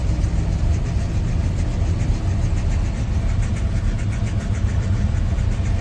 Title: 1986 c10 rough idle on cold start